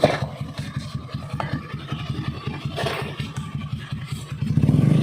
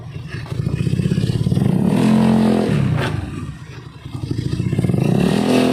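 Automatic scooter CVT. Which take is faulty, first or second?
first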